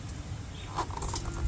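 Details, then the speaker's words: Chevelle with noise and vibration from the rear end, wheel rotated by hand: faint single tick like a BB or stone dropping each rotation, then light clicks; loose rear axle bearing. "that sounds like a BB. Like a BB dropping every time you rotate it."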